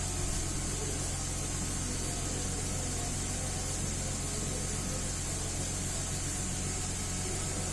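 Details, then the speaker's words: 2010 Mercedes GLK 350 V6 petrol that had bank 1 misfires and a P0017 exhaust cam retarded code, heard after the cam solenoid was swapped and cleaned. It idles steady and even on all six cylinders with no misfires. "Well, that's nice. Seems to be running smooth on all 6 cylinders, no more misfires."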